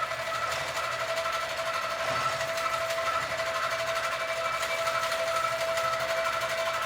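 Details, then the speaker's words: Sewing machine stitching quilt, stitch quality poor and bouncing too much: fast steady chatter with ringing mid tone and slight unevenness; cause not yet found; abnormal running noise. "I'm going to figure out what the sound is that I'm hearing."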